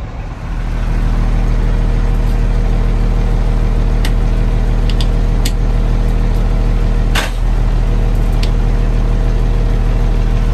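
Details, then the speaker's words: Old International dump truck, parked about 15 years, just revived: steady deep diesel idle keeps chugging evenly and won't shut off with key; owner plans to disconnect batteries. "but uh it won't shut off so i'm gonna have to disconnect the batteries and shut it down"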